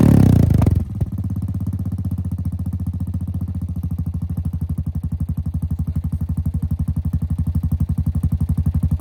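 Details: 2017 Honda Foreman Rubicon 500 IRS 4x4 single-cylinder ATV after a top-end rebuild with OEM rings and valve adjustment, following submersion, first start; settles into a steady, even thump about four beats a second, no knocking or ticking; normal idle.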